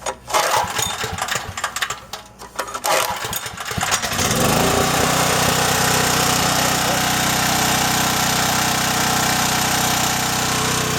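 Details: John Deere/Briggs & Stratton generator after cleaning a gummed carburetor and replacing rotted fuel lines, already warm, pull-started without choke: a few rough pulls, then it settles into a steady, even run with no misses or hunting; running healthy.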